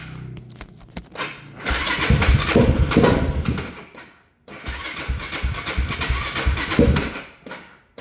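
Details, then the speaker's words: Yamaha YFZ 450 with gas tank off, choke out, after no-spark fault: two uneven dragging cranking bursts, slowing without firing; owner suspects weak battery, says it has spark and fuel (not confirmed). "This battery sounds like it's about to die. So what I'm gonna do is I'm just gonna put this thing to charge and pick this back up tomorrow, because this thing definitely has spark and it's getting gas."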